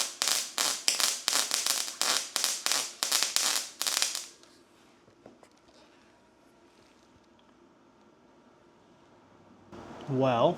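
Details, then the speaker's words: Brand-new Harbor Freight Titanium Unlimited 140 multiprocess welder on its first use: harsh, uneven crackling bursts, several a second for four seconds, instead of a smooth frying sound. Excessive spatter; cause not yet determined. "that is very very spattery. And I do not think it is supposed to be that spattery. The dude at the metal store told me it's supposed to sound like bacon cooking. It sounds like bacon dying."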